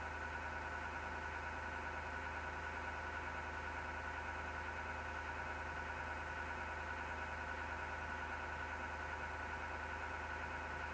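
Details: PC with a grinding noise: steady whirring drone with faint rough vibration that doesn't change; grinding, probably a fan or drive, source unclear.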